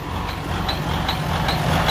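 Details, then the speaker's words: Freightliner Cascadia DD-series diesel idling: faint high squeak about twice a second; mechanic suspects the high-pressure fuel pump going bad, possibly sucking air; low fuel pressure reported; cause not confirmed. "but that sound that little squeaky sound that means that the fuel phone is getting bad"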